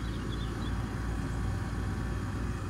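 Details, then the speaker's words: Heat pump outdoor unit running in heating mode, checked over owner's concern about a bump noise when the compressor stops: steady even low hum, no knocks, rattles or surges; normal compressor running. "let this run sounds good pumping out some good Heat"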